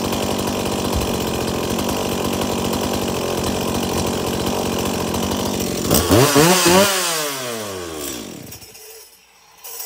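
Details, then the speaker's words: Stihl MS170 chainsaw, brought in because it wouldn't shut off by switch, tested after repair: strong steady run, then falling whine coasting to silence as the stop switch now shuts it off; running normally. "okay so it starts it runs it oils and it shuts off of the switch again"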